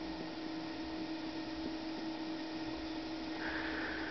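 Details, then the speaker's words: Falk GroundStar plasma globe running on its repaired original power supply (original flyback, 30 kV cord) after cranking up; steady quiet mid hum with soft fan whoosh, no crackle or buzzing, normal operation. "And we are running with the original power supply. It's fantastic."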